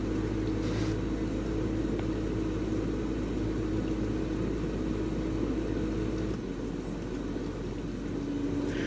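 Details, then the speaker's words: Samsung DW80R5060US dishwasher in diagnostic mode: steady, even whoosh of water from the spinning spray arms over a slightly noisy low pump hum, no knocking or grinding; healthy wash cycle. "you can hear how quiet the spray was including you can hear the water spraying through including spray arms or spraying which is theirs they're spinning to make sure every dishes are absolutely clean absolutely clean"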